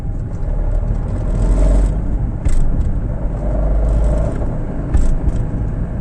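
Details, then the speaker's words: Fiat Panda III 0.9 TwinAir Natural Power road test after replacing the left (gearbox-side) engine mount for low-rpm vibration and a clunk when lifting off at higher rpm: steady rumble, no clunks or shudder on or off throttle; problem solved. "bene come avete potuto notare Problema risolto"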